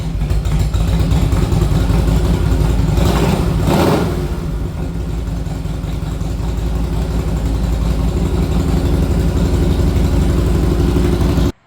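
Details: 1961 Harley-Davidson Panhead V-twin, warmed after a ride: uneven chugging beat that stumbles and surges as it revs, never settling smooth, from an intake manifold air leak.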